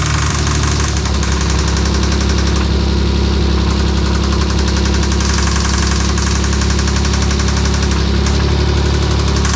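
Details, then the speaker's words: 1992 Dodge Stealth R/T twin-turbo, first start after timing belt install: loud low rumble with quick uneven tapping at idle; engine tick of unknown source, valve cover coming off to find it. "all right looks like we're on plan c we're going to remove the valve cover we've got to tick somewhere we gotta find it"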